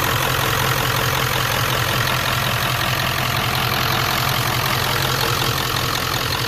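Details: 1994–97 Ford 7.3L Powerstroke with mechanical fuel pump, just after fitting a fuel bowl delete regulated-return kit, started on first crank after priming the filter: steady, even diesel idle with the usual clatter, no misses or surging. Healthy.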